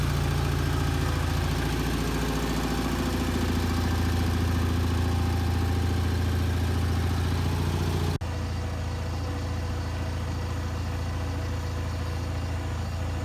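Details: Bolens HT20 garden tractor on a test drive after repairing a flat rear left tyre; small petrol engine pulls along at an even, steady beat with no knocks or misses, running nicely.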